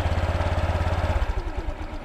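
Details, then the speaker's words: Honda Click scooter after fixing a scraping noise traced to a torque drive bearing: even, steady idle with no rattle or grinding; drive now quiet. "ayun So tahimik na tahimik mga paps tor tr bearing ang issue non"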